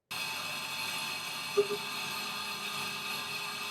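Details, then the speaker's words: Milling cut after tap testing, spindle speed changed to a more stable speed: steady, even high-pitched hiss with no rising chatter tone, a much more stable and quiet cut. "in this next video same application post tap testing uh attempting to find a more stable speed and this is what you know we experienced uh obviously a much more stable and quiet cut"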